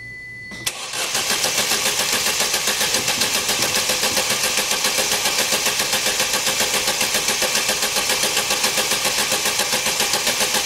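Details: 2011 Opel Meriva, stone-cold engine on a cold day, hard to start on cold mornings; engine churns on the starter at a steady beat for ten seconds without firing; extended crank; no fault codes stored.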